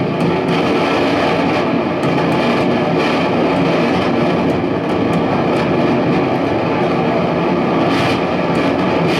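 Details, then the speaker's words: Mesa Boogie Caliber 50+ guitar amp, two 6L6 tubes, after bias supply repair: loud constant crackling hiss with sharp random pops, no tone, appearing when a tube was touched; loose solder joint on a preamp plate resistor. "Realmente muy a punto de fallar. Sospecho que es un componente de la primera etapa. ¿Qué puede ser ese ruido tan terrible?"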